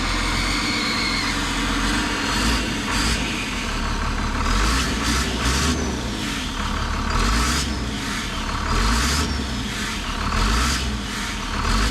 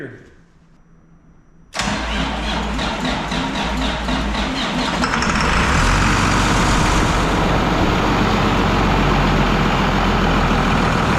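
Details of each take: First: Big diesel truck engine running: harsh rhythmic puffing chuff over the engine note, pulsing with revs, first thought to be the turbo but found to be an exhaust leak at a blown turbo exhaust gasket. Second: Project truck diesel not started in a year, fresh oil just added: quiet, then the starter cranks in rapid even pulses for a few seconds before it catches and settles into a steady, solid idle; normal start.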